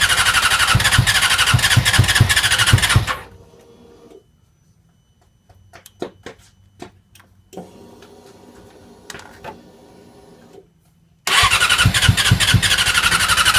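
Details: Yamaha R6 motorcycle; two bursts of fast, even starter cranking about three pulses a second with no catch between them; engine cranks but won't start.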